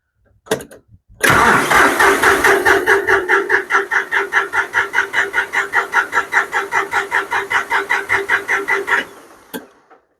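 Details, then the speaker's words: John Deere 5055D diesel tractor after cleaning sludge out of the fuel tank: the starter turns it over steadily at about two and a half pulses a second for eight seconds but it never fires; crank-no-start from air in the fuel line, needs priming. "yeah I got a little air in the line might have to prime"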